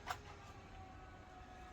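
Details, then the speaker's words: BenQ HT1075 DLP projector after power supply repair (two bulged 680 µF 25 V capacitors) with a replacement fan fitted: a quiet, steady fan hum with no rattle or grinding. Normal fan operation. "There we go. Oh, that sounds way better."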